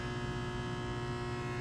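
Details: Rapid 1000 A 9 V air-cooled filtered rectifier, 460 V 3-phase input, 22 input amps, 9 kW, remote control, used, very good condition, slight scope ripple: steady low mains hum with even overtones, no buzzing or crackle; healthy transformer running normally.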